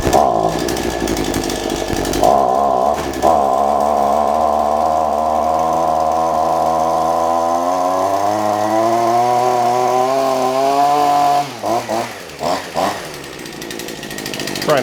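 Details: Shindaiwa AH242 hedge trimmer after a carburetor and tune-up repair; it previously accelerated only when choked: the small two-stroke buzzes up cleanly, pitch climbing under throttle, then drops back. Revs freely and runs normally.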